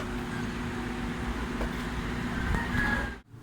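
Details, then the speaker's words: KLESTAR electric fan after motor repair (burning smell, sparking at switch, speed 1 and 2 windings near short circuit, broken winding wire), fuse added; steady low even hum, no buzzing or scraping. Normal fan running after repair. "So yun na siya, gumagana"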